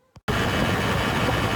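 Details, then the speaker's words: 2020 Amigo Bellagio 150cc moped with 24 miles, front disc brake: harsh steady rasping chatter under braking, from pad backs vibrating against the caliper; fixed by spraying brake quiet compound on the pad backs. "this is an example of the brake chatter I was talking about"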